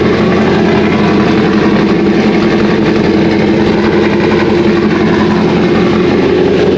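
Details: 2001 Trans Am WS6, 500hp LS1, first start since engine-dyno break-in, untuned with stock injectors and mass airflow sensor, GoPro audio: a deep, uneven lopey idle with a steady exhaust chop, the normal lumpy sound of an aggressive cam.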